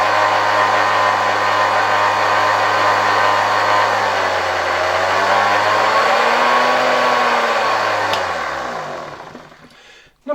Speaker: After installing it in the entire housing, it's quite loud. I think I screwed it in quite tight here.